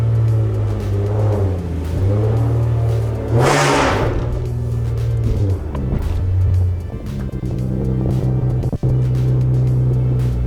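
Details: Infiniti G37 pulling away after axle replacement, fixing a clunk and no drive after a hard first-gear launch: smooth, even engine drone with a steady low hum, no clunks, knocks or whine from the drivetrain; normal driveline.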